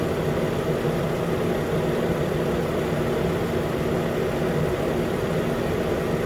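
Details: 2013 Nissan Pathfinder at 265k miles, idling after AC compressor clutch and serpentine belt replacement: smooth even idle with steady low hum, no squeal or chirp from the new belt; engine and accessory drive normal idle.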